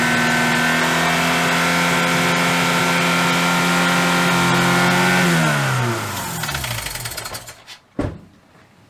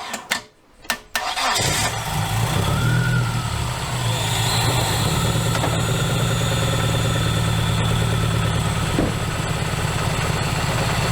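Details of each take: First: Dodge Neon ACR revived after sitting, with cylinder two not firing and the MAP and knock sensors found unplugged. Uneven, lumpy running with a stumbling beat, then revs sag and the engine dies: a misfire from a dead cylinder. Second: Dodge Neon ACR petrol engine, revived after nearly two years, cranks and settles into a steady, even idle with no obvious miss after the knock sensor was plugged back in and a leaking fuel injector was replaced.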